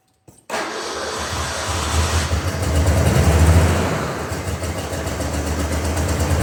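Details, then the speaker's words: Ford Bronco II engine running with no exhaust or manifolds, fuel pressure about 40 psi when cranked: it cranks, catches and surges unevenly, never idling smoothly; runs rough, owner plans to check the distributor; otherwise sounds fairly healthy, no ticking. "And then I'm also going to double check tomorrow the distributor because it's running like garbage, quite frankly."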